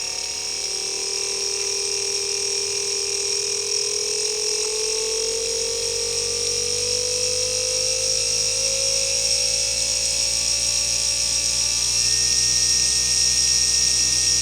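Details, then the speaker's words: Type 775 12V brushed DC motor driven by a PWM module, potentiometer turned up to full speed: high steady whine rising in pitch then holding, with more vibration, from rotor and commutator friction; normal running. "Suaranya juga sudah nampak agak muncul ya, kencang ya, dari gesekan yang dihasilkan oleh rotor dan komutatornya."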